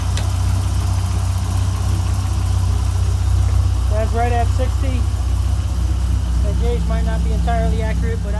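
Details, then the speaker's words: 1997 Dodge Viper GTS V10 after fuel pressure regulator replacement, started holding about 36 on the fuel gauge; deep even burble at settled idle, no misses or hunting, idle came down; normal idle. "am good with that nothing going on in here idle just came down so i'm happy with it"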